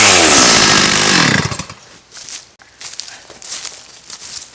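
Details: Restored Stihl 084 AV chainsaw, about 35 years old, cutting a slab from Australian red gum; it screams at full revs through the cut, pulling cleanly without bogging, then drops away as the cut ends; no effort for the saw, healthy under load.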